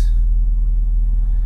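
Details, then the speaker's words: Nissan Sentra 2.5 four-cylinder after replacing the ignition coil for a P0301 cylinder 1 misfire, hot day: deep, even rumble with no stumbles or skipped beats; normal running, misfire gone. "all right no more sputtering so far is running pretty good no misfires excellent"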